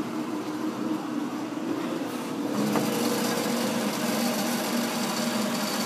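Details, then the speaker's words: Pacemaker lathe, newly wired and run through a temporary 480-to-240 V transformer, fresh DTE 26 oil, clutch disengaged, driven on four of five belts: contactors clicking, light even motor hum with soft belt patter, no grinding or squeal; runs smooth. "You can hear those contactors working right now. Motor runs pretty smooth."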